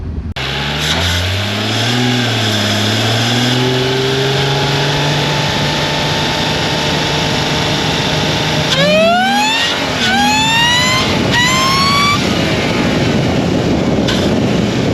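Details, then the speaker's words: Mercedes SLK320 with M112K supercharger, now working and making about 13 psi boost, acceleration pull: engine climbs hard with rising supercharger whine on top, dropping at each shift; normal strong supercharged acceleration. "We got the supercharger working now, and this thing is a monster right now."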